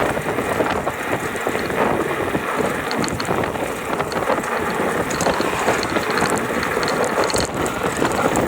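Constant fast metallic rattle over the motor whir and some wind, holding steady at this power level; a drive rattle of unknown cause.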